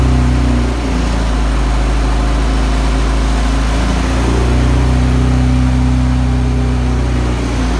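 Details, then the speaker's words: Engine in the Honda EG hatch project, from a flipped-over Integra. Running after the oil pressure sensor swap: steady, even idle with slight speed drift, no knocking or ticking. It runs healthy; it still leaks oil and the owner suspects the head gasket. "so I didn't know if it was knocking or had a spun bearing or something was messed up inside that I didn't know so but I know now it runs good it runs healthy"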